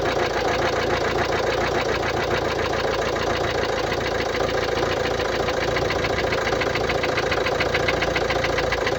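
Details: 2016 Mercedes-Benz Vito 639, OM622.951 1.6 diesel (1598 cm³, 84 kW/114 PS), 237,870 km: diesel idle with steady light ticking about three to four per second over the clatter; suspected defective hydraulic lifters, not confirmed.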